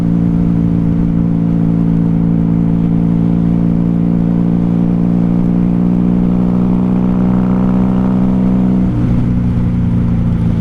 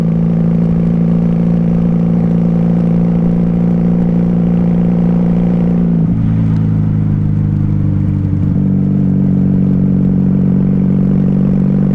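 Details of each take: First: 1994 Honda Magna 750 VF750C riding on reserve fuel after running dry on primary: smooth, steady V4 hum at even pitch, pulling cleanly then easing off; full power is back. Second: 1994 Honda Magna 750 VF750C, baffles removed and needing re-jetting, cruising: steady drone sags and drops in pitch with no pickup on throttle, then recovers; feels like running low on gas.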